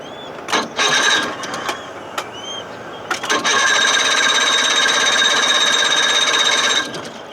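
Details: 1979 Evinrude 55 hp outboard, cold and not warmed up: several short cranking bursts that cough without catching, then it briefly runs raspy and dies; hard starting and poor idle, possibly over-choked, cause undetermined.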